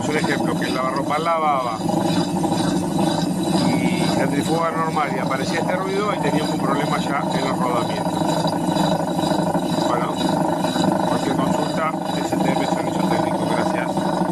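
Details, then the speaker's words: Gafa washing machine during spin: steady loud roar with a rough growl over the drum's whir, not normal spin noise; tub bearings starting to fail, the drum housing (caja) is to be replaced. "pero ese ruido no es del normal del centrifugado, es como que recién se está empezando a romper los rodamientos, así que ya tenemos un problema en la caja ahí, al margen de que no lavaba."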